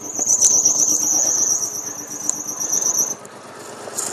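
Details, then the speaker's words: 1995 Geo Metro shaking badly, suspected dead cylinder, during plug-unplugging test: thin steady high drive-belt squeal over the idle for a few seconds then fading; belt squeak unrelated to the rough running. "never mind the squeaking belt that's got nothing to do with it okay first of all it's shaking pretty badly"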